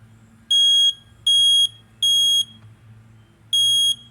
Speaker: here's your smoke alarm sound you hear how it was three beeps that's what you want to know it's three beeps